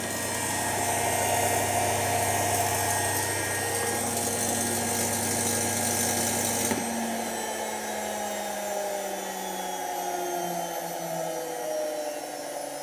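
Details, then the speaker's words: Washing machine motor running with a gritty crackling hiss over the hum for about seven seconds, then smoother. Arcing is heard at the motor, and the brushes are to be checked. "Definitely looks like this is working still. Definitely some arcing going on though."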